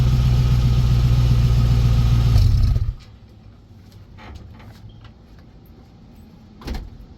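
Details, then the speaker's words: Truck with muffler removed (muffler had a big hole in the top), engine started and revved slightly at the tailpipe: deep, loud, rapid unmuffled rumble, then shut off; open exhaust before patching and refitting the muffler. "now I'm going to go ahead and show you what this sounds like with the muffler off"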